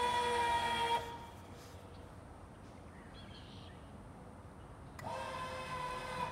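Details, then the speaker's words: Lippert Ground Control TT on a 2017 Windjammer 3029W travel trailer, auto-leveling front then side to side: steady mid-pitched electric jack motor hum stops cleanly, pauses about four seconds, restarts evenly; motors healthy. "Now it goes to the front ones again, and it's going to start leveling it up. Now it's going to start leveling side to side. And you can hear the motor."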